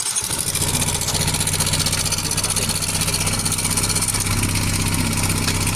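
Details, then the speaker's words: Yamaha Mio with helicopter-like top-end noise, after replacing camshaft and rocker arm and setting the fixed manual tensioner; fast slightly uneven ticking about four per second at idle remains; cause unclear, rocker parts may be swapped. "Mayroon pa rin kunting tunog."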